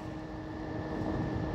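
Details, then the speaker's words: 12 V fan run from a Jackery 290 power station, turned up to full speed: even steady mid-pitched hum rising slightly in level, output wattage increasing; normal running. "that's cool sorry you can hear the fan buzzing i'm turning it up"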